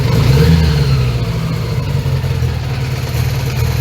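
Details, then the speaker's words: 1980 Honda GL1100 Goldwing, carbs recently overhauled, cold start with raised idle during carb sync: idle lopes unevenly with beats dropping out, intermittent misfire, not yet warmed up; runs almost properly once warm. "it doesn't run on all fours all the time. So, let's uh give it some time and let it properly heat up."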